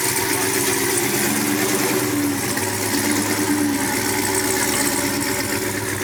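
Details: Brand-new supercharged GM LT4 V8 with CVF pulley kit, swapped into a 1971 Chevy Chevelle convertible with new exhaust: a steady, even idle with a smooth deep exhaust note, no knocks or misses. Normal, healthy idle.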